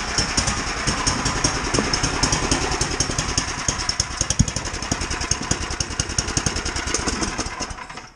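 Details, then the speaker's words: 17-year-old Sears Craftsman snow blower, single-cylinder, after carburetor cleaning and replacement with a new carburetor, not yet fully warmed: quick, fairly steady chuffing of about three pulses a second, then dies away; runs normally, idle may need finer adjustment. "still think it needs a little bit more fine adjustment on the carburetor but uh that's enough for me today"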